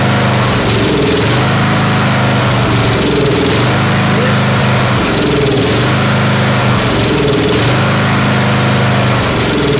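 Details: Snapper SR-Series mower with 10HP Briggs & Stratton single-cylinder engine, stored 10 years, on an Amazon aftermarket carburetor with a 30-thousandths jet, full choke: chugging with a periodic stumble every couple of seconds; missing, not backfiring; needs tuning.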